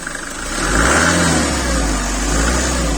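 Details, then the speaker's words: 1995 Mercedes-Benz C-Class W202 C220, 2.2 16v OM604 naturally aspirated indirect-injection diesel, started after glow plug light went out: diesel clatter climbs smoothly with throttle, settles back evenly, no misses or knocks; healthy. "Esse motor é diesel, então ele tem esse barulho bem característico. Na minha opinião, esses Mercedes sem injeção direta e sem turbo tem o melhor barulho dos diesel todos."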